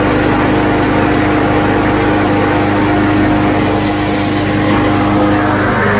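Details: Craftsman Eager 1 self-propelled mower, first start of the season on a cold day, running to warm up before an oil change: loud, steady single-cylinder buzz at even speed, no sputter or surging; normal running.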